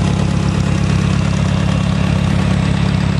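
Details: Massey Harris tractor idling after a cold start, alternator just excited so the RPM dropped and it is charging: steady, even low thump with no knocks or misses, idling smoothly.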